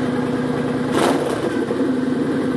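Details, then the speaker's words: Kawasaki Vulcan 900 Custom SE V-twin with Cobra swept pipes: lumpy idle jumps into quick, crisp throttle blips and drops straight back, raspy with immediate kick, no miss or rattle; normal throttle blips. "has that nice raspiness to it, a little bit of that immediate kick."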